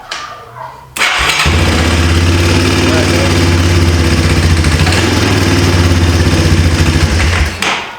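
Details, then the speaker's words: 1995 Yamaha Timberwolf 250 ATV single-cylinder with D8TC platinum plug and original carb top refitted, idle screw barely in: after a second of cranking it catches and settles into a steady, even idle with no misses. "So now I can put the gas tank on it, hook the fuel back up, and I got the idle screw almost out of it. It's still kind of idling, but we can run it."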